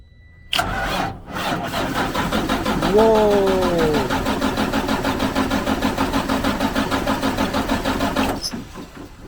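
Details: 2004 Freightliner Columbia that had been sitting, after starter solenoid repair, cranked with two batteries borrowed from a Volvo: steady, strong cranking at about three turns a second, but it never fires. Starting fluid is suggested.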